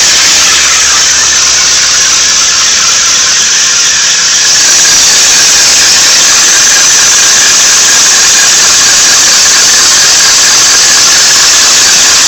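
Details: 1992 Nissan 300ZX running: a loud, steady, piercing squeal that stays the same regardless of engine revs. It is louder at the front right; cause unknown.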